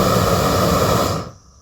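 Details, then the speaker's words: New upgraded weed torch just lit with tank opened, pressurizing instantly: steady strong roaring hiss with no sputter or pulsing, cutting off cleanly after about a second; good, even gas flow, normal flame roar. "You can hear it hissing. Boom. Got a good flame. Turn this up some more. So, it has good flow."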